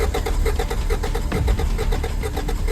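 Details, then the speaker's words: Turbo Acura Integra after an 1,800-mile road trip, idling with cylinder 1 misfiring (pulling its connection changes nothing); lumpy idle dropping a beat, new distributor and NGK wires didn't cure it, later traced to a bad injector. "So cylinder 1 had a pretty big misfire, and I have not yet determined what the cause was."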